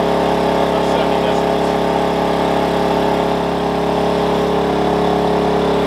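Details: Wen 56203i 2000 W inverter generator (made 7/2020), eco mode, about 1375–1400 W load, mic right next to it; even, steady constant-pitch drone with no hunting or surging, carrying its load smoothly.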